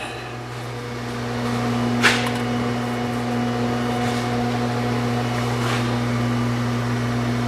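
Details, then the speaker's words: 2017 Jeep Cherokee electric parking brake, key on engine off, after park brake code: motor hums continuously but caliper does not release; caliper needs replacing. "I can hear the motor running but it's not releasing so it needs a caliper and if you're going to do a caliper you might as well do them both"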